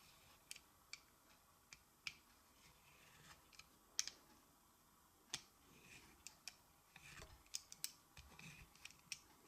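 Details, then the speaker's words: Kanger Nebox vape: irregular dry ticks and scrapes as the battery door is screwed on; its poor threads grind, fail to catch and seem to strip. "the threading on this is just so bad I me you can hear I'll be quiet and let you hear it grind a little bit"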